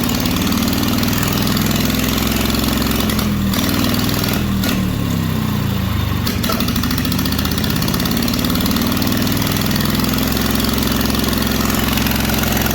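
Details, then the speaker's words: Welder with air-cooled single-cylinder engine, previously cranking too slowly, now with good spark, running on a jump pack: steady, even beat at a fast idle with no knocks or misses; runs well, likely needs a new switch and battery. "hell yeah so it's running a hundred percent on the jump pack"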